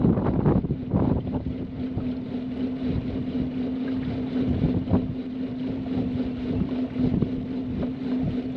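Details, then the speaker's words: 2006 Lund Explorer 1825 SS with Mercury 115hp EFI four-stroke outboard, sat for years on old ethanol fuel, on the water: steady mid-pitched drone with uneven surges and wind buffeting; running rough, cause not confirmed, old fuel suspected. "so that doesn't sound good at all"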